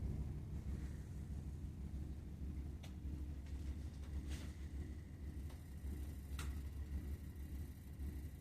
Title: Burnham Alpine Boiler makes rumbling noise #boiler #rumbling